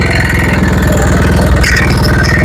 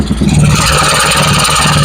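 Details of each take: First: Honda Vario Techno 110 scooter (KVB): loud, rough "ngebletrak" clatter with metallic rattling over a fast, even idle beat, pointing to a worn, loose cam chain. The chain area is to be opened next for inspection. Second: Honda Vario 110 carburetted scooter after engine rebuild, mic at loud exhaust: steady, even idle with loud raspy note, no knocks or rattles; smooth, only PE carburettor setting remains.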